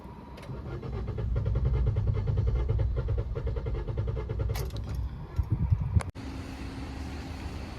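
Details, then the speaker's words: 2022 Maruti Swift petrol, about 50,000 km, low mileage complaint, restarted after two hours parked: long steady cranking about four pulses a second, roughly 10 cranks before catching; hard start from leaking injectors, all four replaced. "Wiper start ചെയ്യുന്ന സമയത്ത് start ആവാൻ ഭയങ്കര ബുദ്ധിമുട്ടാട്ടോ ഏകദേശം ഒരു 10 crank എങ്കിലും എടുക്കേണ്ടി വരുന്നുണ്ട് ഒന്ന് സ്റ്റാർട്ട് ആവാനായിട്ട്"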